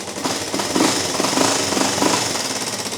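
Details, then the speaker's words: Single-cylinder ATV with a JB-Welded cracked case, first run after carb cleaning and a clogged pilot jet was cleared. Uneven light tapping, roughly a hundred a minute, over a rough idle; valve train ticking. "but it does run. But, yeah. Um, one thing I was afraid of, which you did hear, was the ticking. These things are prone to tick. I am going to see what's going on with the valves, adjust them, and hopefully get that down a little bit."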